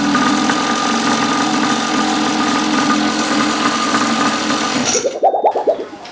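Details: 49cc two-stroke pocket bike that had been parked a long time, after a new fuel line and fuel filter: fast, buzzy idle that stays even and runs steadily before cutting off, a normal idle.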